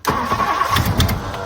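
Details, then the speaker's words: 1964 Ford Thunderbird 390 FE big block, last tagged 1998, fuel poured into the carb: catches abruptly and runs rough, surging and stumbling for under two seconds. Carb floats suspected stuck. "all right we got a little spark there I'm going to throw a little bit more uh fuel in the carb and see if that does anything"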